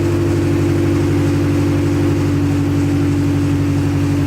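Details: Acura Integra four-cylinder first start after crank, no-start troubleshooting: smooth even run with a steady low hum, no misses or knocking; run only briefly, no coolant in system.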